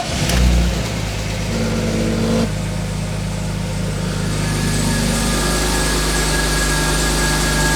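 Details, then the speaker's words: BMW E46 with M54 engine after fixing crank-no-start and fitting new spark plugs: starts and settles to idle with a thin steady chirp/belt squeal over it; owner suspects idler and tensioner pulleys, to be replaced. "Keep in mind that the chirping and bell squeal will still be there because those are the pulleys, I think, and we'll change that right after the starting of the engine."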